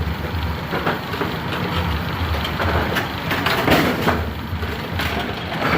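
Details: AMF A2 bowling pinsetter, lane 2, after repositioning the cycle linkage components and the front X pin: steady mechanical churning with clacks and thumps. It cycles and properly stops at 180° to wait for pins; a normal cycle.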